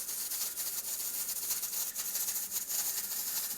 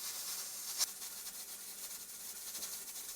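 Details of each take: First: Traditional stovetop pressure canner at correct pressure: the weight jiggles and vents steam in a hissy, rattling cycle with quick ticks, about every 16 seconds or three times per minute, within the proper two to four per minute. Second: Traditional stovetop pressure canner after heat turned down to 4: steady continuous steam hiss, weight still jiggling constantly but starting to quiet; still slightly over pressure.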